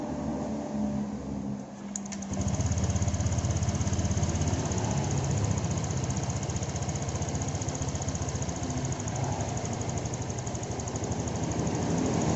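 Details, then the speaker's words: Honda Vario 125 FI after repair of idle that surged up and down on its own and slow throttle return (stuck part freed): small rev, then steady even idle with no hunting; normal idle. "Oke, baiklah. Putaran idle-nya sekarang sudah bagus, kan?"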